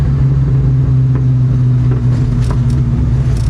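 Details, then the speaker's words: Whipple-supercharged car, still on the tune for a ported Eaton, fully warmed up and driven through the gears: deep steady rumble with a few faint, sharp exhaust pops breaking through; no longer sputtering or bucking. "guys guys i think we're going to retain some of our pops we still have the pops boys"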